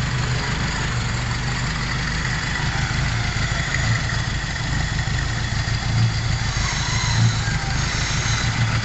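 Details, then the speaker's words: 1997 Mitsubishi Lancer four-cylinder converted from EFI to a Toyota 4K carburetor on fabricated intake manifold: steady even idle, no hunting, misses or ticking, after a one-try start; conversion works. "So ayan na po mga kalbularyo, umaandar na ang makina. One start lang po mga kalbularyo. Hindi rin siya hard start, one start lang po."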